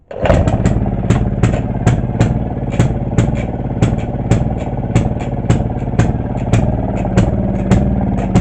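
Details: 1930s Maytag half-horsepower two-stroke washing machine engine, after ignition work; sharp, slightly uneven pops about three a second over a low thump, steady throughout; normal running.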